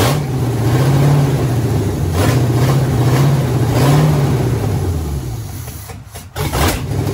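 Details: 1967 Pontiac Firebird that sat 25 years, first start of a swapped-in 1977 Pontiac 350 with TH350 transmission after fuel was poured into the carburetor: the V8 fires with a lumpy, deep rumble, revving up and down, then briefly dips.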